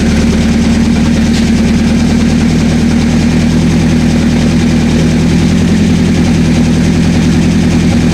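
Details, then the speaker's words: 1984 Honda CB700SC first start after fixing a no-spark problem, with choke off and some debris blowing out of the right exhaust: a steady, even four-cylinder beat with a deep exhaust rumble and no misses; all four cylinders are firing. "all four cylinders are we got Spark all four cylinders are running"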